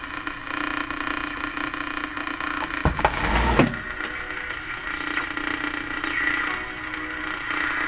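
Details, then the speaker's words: Philco Model 42-322 tube radio, tuned to AM 740: steady hiss with hum and whistle plus a crackling swoosh burst; noisy reception, cause not pinned down. "that noise is so weird I just tipping the antenna seems to have pushed the noise away"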